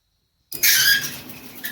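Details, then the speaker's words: Maytag 2000 series MCT dryer MEDE200XW1, roadside find with neglected lint: severe high-pitched squealing and chirps as drum starts turning; worn drum bearings and rollers, fixed by full teardown repairing them. "Oh, that's real squeaky. So this dryer got some sort of a pretty severe mechanical squeal going on."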